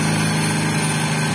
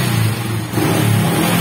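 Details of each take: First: Honda XRM125 brought in for hard starting and dying at idle: here it holds an even, steady idle with no misses, surges or stalling. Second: Honda XRM125 motorcycle, hard starting and stalling at idle: engine catches and revs briefly, then the beat fades and dies within seconds, unable to hold an idle.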